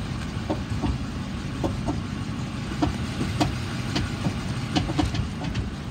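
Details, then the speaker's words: 2019 Dodge Charger police package, 5.7L V8, automatic, 48,000 miles: sharp irregular clacks, one or two a second, over a quiet idle while rolling and braking, not when turning the wheel; from front wheel or hub area, cause unknown. "I can hear clacking doesn't do it when I turn the wheel it does it when I roll and press the brakes if that helps"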